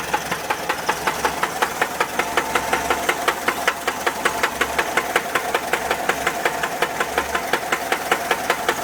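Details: 1979 Volkswagen Type 4 air-cooled engine at idle: sharp, even knocks at about 160 per minute over a steady idle; engine knock, source unknown.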